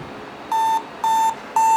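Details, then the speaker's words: Compaq LTE/286 notebook at boot: three identical short mid-pitched beeps about half a second apart, with on-screen errors 1780 disk 0 failure, 167 and 162, flagging a failed hard drive. "1780 disk 0 failure. 167 and 162."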